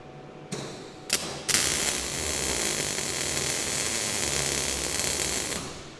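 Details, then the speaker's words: MIG plug weld on an HQ Holden cowl panel with the wire tip left unsnipped and balled up: a couple of sputtering pops before the arc catches late, then steady frying crackle, leaving a bigger weld. "Because I did not snip off that first little bit of wire, that was a little bit balled up. That one took a little bit longer to actually start burning."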